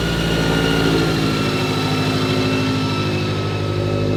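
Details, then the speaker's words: Toyota 86/Subaru BRZ/FRS after Kraftwerks supercharger install with upgraded injectors and swapped header, first start after priming the blower oiling system at 2500 rpm: smooth even idle, steady low rumble with faint blower whine, no knocks or misses; normal. "all right so we've done all that process Adrian's gonna fire it up for you once you hear it for the first time"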